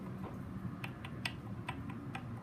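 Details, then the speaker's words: 2001 Kawasaki KX85 with seized crank, being torn down, rod rocked by hand: quiet sharp clicks about three a second from up-and-down play, side-to-side play normal; connecting rod big-end bearing play. "so hopefully hopefully you guys can hear that nuts up and down play not side to side so their side to side which is kind of normal play for it right there but up and down"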